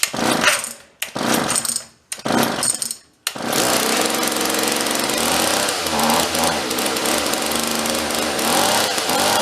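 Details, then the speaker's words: Vintage John Deere chainsaw rescued from a free pile, after pull-start repair, started with choke and some throttle, air cleaner off: three pulls then steady high buzz without stalling; idle set high, low and high screws still to adjust. "sounds pretty good. We're gonna adjust it, get the idle down a little bit."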